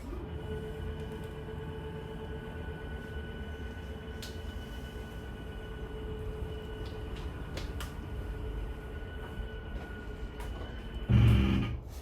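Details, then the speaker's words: 2023 Forest River Rockwood Ultra Lite 2608BS travel trailer slide-out extending: an even motor drone, then a loud gear-grinding burst at the end of travel. This normally marks full extension. "one once you hear that gear grinding noise you know you were going to be fully extended"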